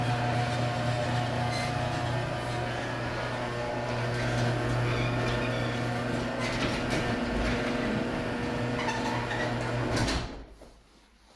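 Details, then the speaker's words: Garage door that has been loud and creaky since the owners moved in, recorded before lubrication: a steady low rumble as it travels down with faint dry creaky scraping on top, then it stops. Dryness suspected, not confirmed. "And it's really loud in our house. So, I was thinking for our garage door, I would try to lubricate it to silence it or at least make it quieter."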